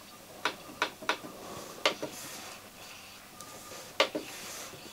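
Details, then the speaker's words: Schneider CDP7000 CD player with a CD inserted and the display reading 0: sharp, dry, irregular ticks, some in quick pairs, as the pickup jumps while searching. Ticking during the track search, a track problem. "look at this jumping you loosen this you can hear this this is interesting it's a it's a search it's also the track a track problem"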